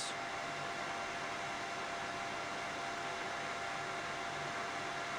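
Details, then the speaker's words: Mini heater with replacement fan fitted, on high, power settling around 450 watts: smooth, even airy rush with steady mid-pitched hum, no rattle or wobble; normal fan running. "So, this is the replacement fan. We're on high and we're going to settle down somewhere around 450 watts."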